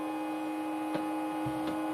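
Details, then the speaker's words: New Netgear ProSafe 24-port gigabit switch: the small cooling fan is turning but sounds bad, a constant buzzy tone with a steady higher whine and light ticks; a possibly bad fan, cause not confirmed. Noisy cooling fan. "Hey, you know what? That's horrible. So, the little fan even turning? Yeah, it's turning. Don't sound very good though."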